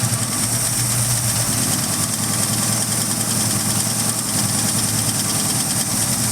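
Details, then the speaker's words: Ford Mustang V8, freshly unseized, burning off Marvel Mystery Oil: steady lumpy idle with even beat, no knocks or misfires; runs healthy. "wow look at that it idles a little bit a lot of [Music] oh this thing sounds sick"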